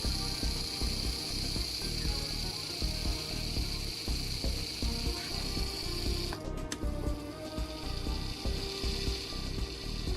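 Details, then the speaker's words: Lima class 73 OO model locomotive after full service, running at about 200 mA: steady high motor whine, the characteristic Lima rattle all but gone. "characteristic Lemma rattle is all but gone"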